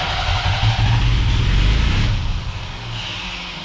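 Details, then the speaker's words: Old Ford Ranger after fuel tank, fuel pump and tune-up, fuel pressure 42: fires with a heavy low rumble and runs only while the starter is held, then dies on key release; seems very rich, cause unconfirmed. "okay runs on the starter but as soon as i let off the starter the truck"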